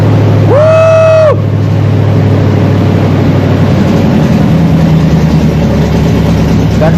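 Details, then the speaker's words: 1979 Chevy C10 with 305 V8, first start in years after abandoned storage, good battery and makeshift fuel line to a jerry can; deep steady burble after quick catch, no misses or knocks; normal idle. "me she's idling she's alive wow okay I got to shut this thing off before the carbon oxide kills me but there you have it guys 79 C10 305 started right up"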